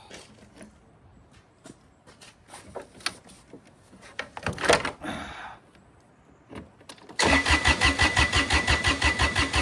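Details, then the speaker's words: Kubota BX1850 diesel tractor, bought 2008, after replacing ignition switch, battery and battery terminals: some clicks, then it catches at once and settles into a steady, even idle chug. Normal start and idle. "I'll be damned. She's working again. That's the new ignition. That's the new battery."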